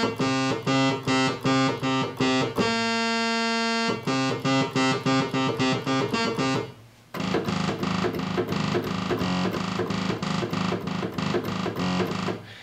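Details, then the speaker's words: Oberheim OB-X eight-voice synthesizer, bought broken with mouse-urine corrosion and never calibrated: repeated chords carry one sour, detuned note that beats against the rest. One of the eight voices is very far off pitch. "so I wouldn't expect it to be in tune but one of the eight voices is is very far off from what it should be"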